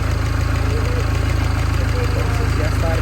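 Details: Mini Cooper S R56 after timing chain replacement: steady, even low idle pulse of about 200 beats a minute under background music, no ticking or rattle; healthy idle.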